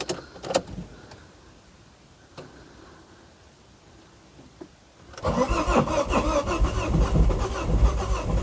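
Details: 2006 Ford Focus ST225, first start attempt in over a year: a few clicks, a pause, then long steady starter churning that never fires, cranks but won't start.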